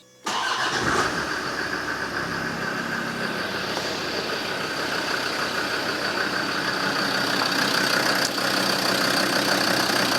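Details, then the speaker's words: Land Rover Defender diesel after EGR valve blanked and engine sound protection fitted: starts at once, steady even idle with light clatter, no misses; seems to run nicer; fuel pump noise known separately. "don't know what you think but this sounds like it's running a lot nicer i'm not sure but it really sounds like it"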